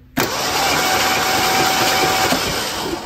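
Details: 1976 Ford Bronco Sport parked for 30 years, cranking after the starter and solenoid were fixed (solenoid tested with 12 V output): the starter spins the engine over steadily at an even pace with no grinding or clicking, so cranking is healthy.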